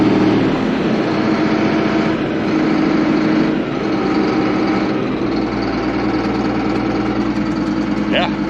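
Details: Allis-Chalmers 7580 tractor diesel first start after winter storage, 73 degrees, no battery charger; steady, even rumble settling into idle with no knocks, misses or hunting; running good.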